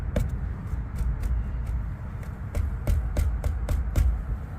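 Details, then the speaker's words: 2001 Dodge Ram EVAP refresh for a no-flow code, charcoal canister shaken by hand: irregular dry rattles and clicks as beads move freely, so carbon probably not fuel-saturated; normal canister, purge valve found stuck closed. "oh yeah they're moving the beads are moving so probably not saturated with fuel"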